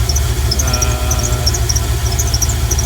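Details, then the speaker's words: Engine running after belt retightened: high scattered chirps over steady engine rumble; owner suspects air conditioning compressor clutch of squealing, not confirmed. "it almost sounds like it's coming from the air conditioning compressor clutch of all things which i mean yeah i guess that could be it"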